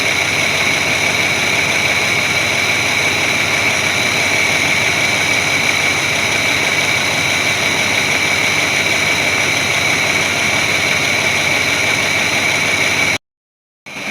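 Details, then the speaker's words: 1981 Chevrolet C30 dually, ex-dump truck, restarted after sitting 10 years: constant, even idle with a steady hiss and a little lifter noise, no misses, surging or smoke, running smoothly while warming up. "sounds like it's got a little bit of lifter noise i could just make it it's been sitting so long running pretty smooth i don't feel any misses it's not puffing any smoke out so those are all good things"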